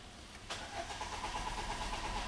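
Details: 2009 Peugeot 307 cranks steadily on the starter but never catches or fires; crank no start, cause unclear, with a connector/plug being unplugged as the fix shown afterward.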